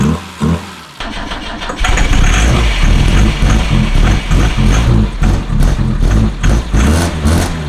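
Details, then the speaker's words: BMW with M10 engine after 1.5 years not running, first start after extended cranking and starter fluid suggested: runs rough and uneven with a dull knock under the firing; knocking, cause unknown. "Smells good, dude. It's knocking."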